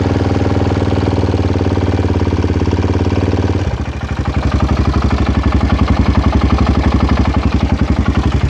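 Steady idle carrying a rhythmic clatter that sharpens after a few seconds into an even, pulsing knock; the source can't be pinned down.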